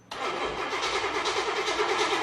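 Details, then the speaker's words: Impala cranking with even churn but no fire; no spark because rats chewed through the distributor connector right up close, though MSD box had power and battery read 11.9 V (10.5 V cranking); new fuel pump was delivering fuel. "they ate through the connector look oh and they had to chew them like right up close to it where you can barely get a connector on it"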